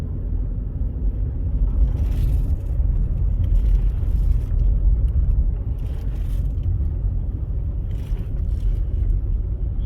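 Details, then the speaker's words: Ford Fusion hybrid road test after replacing a shot rear wheel bearing that growled: smooth, even tyre and road rumble at speed, no growl or hum; bearing sounds healthy, though slight noise on right turns suggests left bearing starting to go. "So far, so good. It sounds nice and quiet now."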